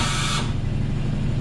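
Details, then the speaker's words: Homemade shop air compressor with aftercooler and water trap, 40-gallon tank: the automatic drain purges, a short sharp hiss under half a second over the low motor hum, then cuts off. "was the drain okay so it turned off you can actually hear the bleed off bleeding through that hole"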